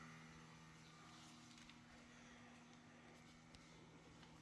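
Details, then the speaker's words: 2017 Toyota Tacoma parked in a garage for hours, key fobs in the house, doors not opened: with everything off, a faint steady whir and low hum from underneath, like a small electric motor running. Cause unknown. "the doors have not been opened and this noise is just coming from underneath any opinions or answers would be great thank you"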